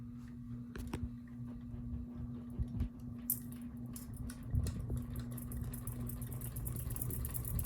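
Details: Ceiling fan on medium speed hums steadily, broken now and then by loose, irregular clicks and light rattles. Loose screws are suspected; the blades were tightened and the motor housing is under suspicion.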